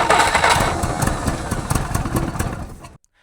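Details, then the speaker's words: Jeep sat 25+ years, first start with fuel poured in: ragged, uneven firing bursts for about three seconds, then it cuts out; fuel pump pulling fuel but carburetor leaking badly and spitting fuel, needs a rebuild. "Oh, little sputter. It's trying. It's trying. Just need to get some of that fuel out of the out of the can. That's going the wrong way. Yeah, it's pulling fuel, but we got some pretty serious leaks in there."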